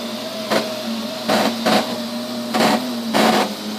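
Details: Neato robot vacuum, used under 30 times: steady motor hum with loud bursts at random intervals and lengths; intermittent fault, cause unknown.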